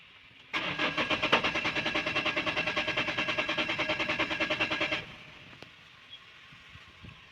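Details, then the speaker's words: Vehicle that cut out every kilometre or so: starter turns the engine over in an even chug about three a second for four seconds but it never fires, cranks with no start; cause suspected, not confirmed. "তো তোমরা দেখতে পেলা কি মানে এখন শুধু রাউন্ডটা নিচ্ছে কিন্তু স্টার্টটা ধরছে না"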